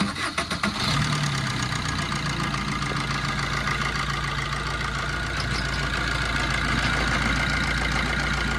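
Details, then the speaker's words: 2010 Maruti Swift, 102,000 km, after timing chain repair and reassembly: catches after a few cranks, smooth even idle with no rattle from the front; earlier loud timing chain noise now controlled. "Friends இப்போ timing செயினோட noise அதிகமாக இருந்தது. இப்போ அதுவும் control ஆகிடுச்சு."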